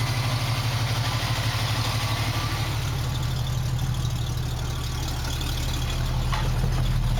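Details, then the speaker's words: 1965 Mustang with redone fuel lines and working choke, started after already having run: steady, even low rumble at settled idle with no misses, knocks or hunting; healthy idle. "Now that I got the choke working, it starts a lot better. I've already had it running, so it's going to start right up."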